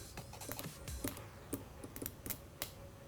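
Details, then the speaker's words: 2015 Honda CBR300R, 4,000 miles, sat almost two years in old rusty fuel: fuel pump bench-tested with battery gives only irregular dry clicks, no running whine; dead pump, won't start, pump being replaced. "There you could just hear it clicking. It should, I guess, whine."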